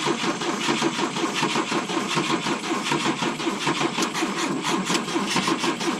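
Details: 1972 Volvo 145 on rigged fuel with vacuum ports plugged: six seconds of steady, even cranking that never catches; hard start because plug wires were off.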